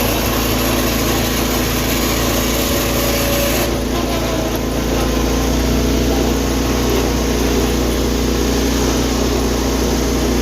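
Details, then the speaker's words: Tractor 210 on a test drive after carburetor, fuel line, choke and throttle refit: a steady, even engine drone with no knocks or misses holding speed, running healthy; the owner earlier suspected the pulley made a loud noise when braking. "This thing's running great. Sweet."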